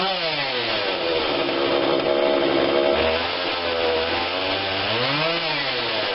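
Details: Husqvarna 142 40cc chainsaw, started on choke only (no primer bulb), before carb tweak: unevenly buzzing idle, revs sagging and surging with a brief stumble as if to stall; idle stumble, carb adjustment planned.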